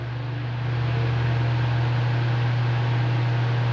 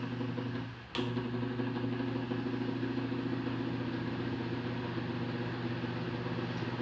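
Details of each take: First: Fan on 220 V after capacitor replacement: steady low motor hum and even airflow hiss, no rattle; excessive noise at speeds 1 and 2 was cured by fitting a new capacitor. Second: Fan motor switched straight onto 220 V mains at low speed (speed 1): harsh, steady electrical buzz-hum; noise at speeds 1 and 2 but normal at 3, diagnosed as a faulty capacitor, to be replaced.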